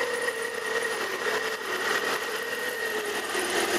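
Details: Imported car after repairing a cam angle/intake camshaft sensor connector that had been fitted with a mismatched terminal, fault codes cleared: starts and runs smooth and even with a steady high whir over a light hum; belt noise noted at initial startup.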